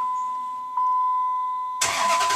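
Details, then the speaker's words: 2004 Dodge Ram 4x4 5.7L Hemi, first start after EGR valve replacement for codes P0404/P0406: chime, then the engine catches quickly and settles into an even run; clean start, codes not yet cleared. "turn over your ride that sounds like a victory to me"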